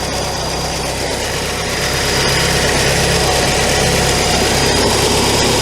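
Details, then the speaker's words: Classic VW Scirocco, run after sitting a year, idles with a thin, constant high whistle as air is sucked in at the carburettor-to-base joint. Engine speed rises during testing; the carb mounting nuts were found loose; vacuum leak. "There's a massive air leak to the car. Confirm my pressure down on it. Look at the engine speed increasing."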